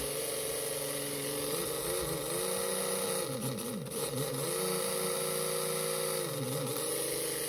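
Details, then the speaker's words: Mega G+ 1.7 slot car can motor on a dyno after resoldering: high thin whine wavers and dips unevenly; owner says the problem is between the pickup shoe and the dyno, axle hole still loosening during run-in. "It's definitely a problem between the pickup shoe and the dyno."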